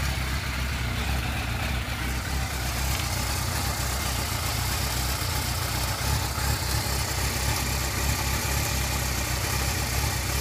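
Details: Yamaha YZF600R Thundercat four-cylinder idling smoothly and evenly at startup with no top-end ticking after the cam chain tensioner was removed and cleaned.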